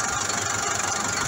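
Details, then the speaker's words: Massey Ferguson 440 diesel tractor (no turbo), sharp metallic knock at steady running; tractor has lost power and pulling force, valve clearances readjusted without fixing it; source of knock not pinned down. "في صوت طرق يظهر مع الشارت، طرق يظهر مع الشارت مع من المطار"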